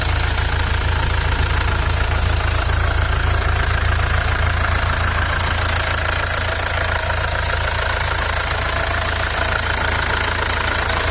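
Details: Mercedes W212 with the OM651 diesel idling with the belt removed: a steady low rumble and a faint, fairly regular knock about three or four times a second, an engine noise still unexplained.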